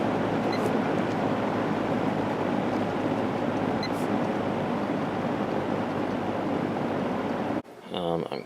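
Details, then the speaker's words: Lakewood P223 fan with a Westinghouse motor after cleaning, oiling and reassembly, blade and grills still wet from washing, run on high: a steady, even whoosh with no rattles or scraping. Normal running. "yeah it's not bad now I can actually use this thing on a regular basis"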